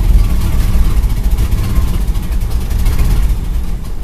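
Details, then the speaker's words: Carbureted car engine after warming up, first started with starting fluid: a low, lumpy idle that wavers and stumbles unevenly instead of settling. The carburetor is gummed up, as expected, and starving it at idle. "see how it idles after it warms up well here's the problem just like I expected carburetor got GED up"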